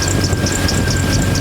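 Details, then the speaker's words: 1992 Jeep Wrangler YJ six-cylinder, after fixing a leaking fuel injector: steady, even low idle rumble with no misses; repair done. "so that wasn't so bad got it all fixed up"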